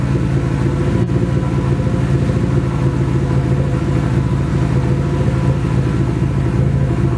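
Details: Nissan SR20 in a 240 on first start after engine install, open downpipe: loud, raspy run with a choppy, uneven beat instead of a steady pulse; engine misfire, cause unconfirmed, owner suspects bad original gas.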